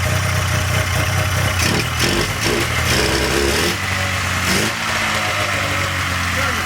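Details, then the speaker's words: 1997 Polaris Indy Classic two-stroke barn-find snowmobile on new hoses and fresh, thickly oil-mixed gas: crackly idle with quick throttle blips, settling back without stalling; healthy, judged a good running machine. "hey that's uh it's gonna be a good running machine"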